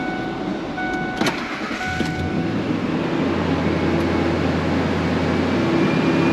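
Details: 2000 Ford F150 after fuel tank and strap replacement, pump primed with the key and 5 gallons in the tank: a brief crank, then a clean catch into a steady, even low idle with no misses or knocks; it works like a charm.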